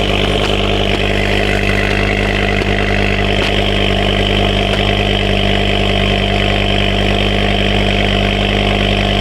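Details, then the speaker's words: Ford Focus ST/XR5 Turbo petrol after fixing an exhaust leak (previously misfiring): steady idle with smooth even exhaust note, no ticking or puffing, much quieter than before. "see if our little exhaust misfire problems gone come on ah much quieter [Music] now"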